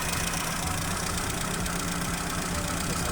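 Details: Chevrolet Aveo at idle during an injector-disable test with a scan tool: uneven, lumpy beat with a dull low thump underneath; cylinder misfire, with cylinder 1 found not working.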